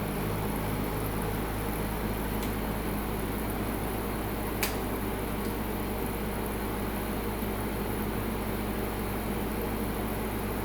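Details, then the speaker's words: Midea U-shaped 8000 BTU window AC on high cooling at 108°F outdoor heat, drawing about 820 W and roughly 9 A; constant hum with steady fan rush, no rattles or cycling; normal full-load operation. "So Richard Smith 1161, it appears I'm about 130 watts less than your maximum for your 1200 BTU unit. 820, holy cow. I really didn't think it would draw this much power."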